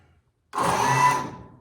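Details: Bucket truck emergency let-down hydraulic pump, just repaired, hydraulics otherwise run off the main engine via PTO: small electric pump spins up sharply, whirs steadily about a second, then winds down; running normally.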